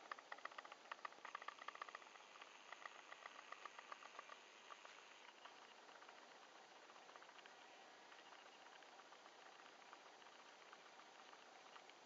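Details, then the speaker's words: Camera recording self-noise, July 2010: faint quick irregular ticking, two or three a second, like a teletype or woodpecker, over quiet hiss; present in every video, source unknown. "I can already hear it in the background it's in every one of my videos what the heck is that that's terrible"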